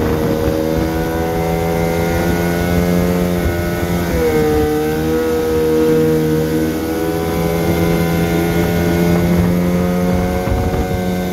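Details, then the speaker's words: 1974 Johnson 15 hp outboard on a 16 ft boat, pond test after new fuel line, spark plugs, gear oil, water pump impeller and carburetor idle tuning: steady, even drone rising briefly with throttle; running smoothly. "uh seems to be doing well i'll fire it up and take it for a run around and just to show you how it's doing"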